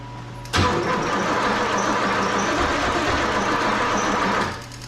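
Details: One-owner 1986 Pontiac Trans Am, parked 17 years, after fitting eight spark plugs and a carburetor: about four seconds of steady cranking whirr with no catch; extended cranking after long storage, may need a few squirts of fuel.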